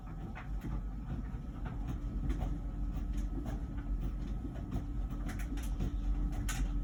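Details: About a year old LG Wash Tower WKHC202HBA heat pump ventless dryer: low steady rumble with soft irregular thumps of the tumbling load and no buzz or scrape, before the new buzzing appears; running normally.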